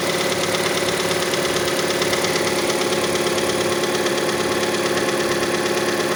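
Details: Mazda CX-5 engine idling cold: a regular knock about three per second that persists until about 70 degrees; cause unknown, the valve timing (phase control) mechanism is suspected.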